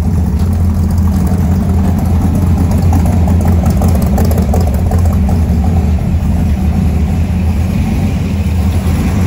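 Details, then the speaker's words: 1970 Ford F100 V8 with no choke, deep loud idle through open exhaust with a faint rise and fall in its beat; owner suspects idle air mixture slightly off, timing believed about right. "i think the idle and air mixture is just a little off you can kind of hear it going up and down a little bit"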